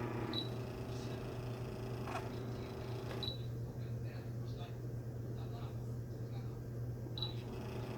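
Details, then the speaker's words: Electric fan motor, opened with the cover off, just after lubricant and fresh grease were applied to the shaft that had been stuck with old grease: switched to low, the previously seized motor turns with a quiet, steady low hum and no grinding or squeal. "약통 스위치를 켜 주니 꿈쩍하지 않았던 모터가 회전을 합니다"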